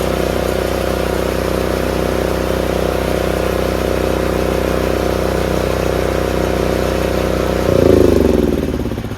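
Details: Craftsman RER1000 riding mower, single-cylinder: steady drone that drops and labours briefly as the blades engage, then settles and pulls the deck fine, after a shortened spring was refitted; normal running with blades engaged.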